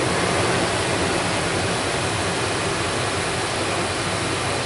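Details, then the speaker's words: 2001 Dodge Dakota 4.7 V8 after repair for P0171 lean code, codes and fuel trims reset, warming up: steady, even quiet idle hum with no exhaust-manifold ticking or puffing; normal idle. "t works well now it just sounds like all the rest of them I'm surprised it's not ticking I thought for sure this thing was going to have some bad manifolds but she's quiet now"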